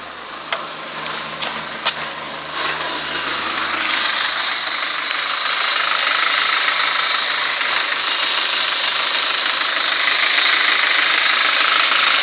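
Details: ZMZ-406 carbureted engine idling with a dull, steady knock about three to four per second over a hissy idle; suspicious knock, source unclear, needs checking.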